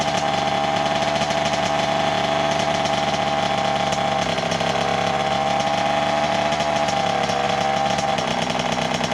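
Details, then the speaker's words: 1988 Kawasaki KX80 two-stroke, new piston and refitted cylinder head, finally started after 15 years and after flooding: raspy, crisp, high-pitched buzz revving and dropping back cleanly, running normally. "voilà enfin enfin enfin il a démarré cette ruche je n'y croyais plus du tout"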